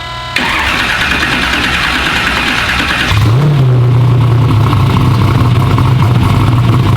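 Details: Car's first fire-up after build, crank and cam sensors working: brief crank, clean catch, rev, then even deep V8 idle with no popping or missing, after two backwards plug wires causing misfire and backfire were fixed.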